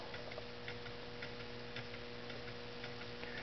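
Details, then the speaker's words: Homemade low temperature differential Stirling engine with a ball-bearing crank, on a cup of hot boiling water, runs 15–20 minutes: soft, even ticks about twice a second with no scraping or hesitation; running smoothly. "with it just like this running on just the hot water it'll run for 15 or 20 minutes when you start off with a good cup of hot boiling water"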